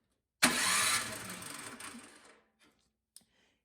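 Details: Craftsman snowblower that won't start: one short two-second pull-over that dies without firing; cranks but doesn't start, no spark found, plug suspected fouled, spark returned with a new plug.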